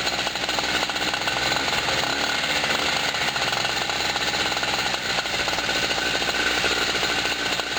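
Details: Generator just cold-started after sitting about a year (first start of 2016), outdoors in wind on a hot, humid day: a buzzy, raspy two-stroke note runs steady with no stumbling or surging. Normal running.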